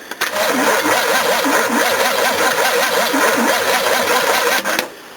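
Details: Old battery that has had a hard life, cranking a 351 V8: even, rising-and-falling starter churn at about three strokes a second with no dragging; judged usable.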